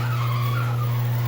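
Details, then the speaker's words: Genie 8600 screw drive garage door opener after motor starting capacitor replacement, before lubrication: loud steady low hum with a harsh wavering squeal: dry unlubricated screw drive, quieted by lubricating. "but then again the way with the old AC and in with the new that sounds ugly"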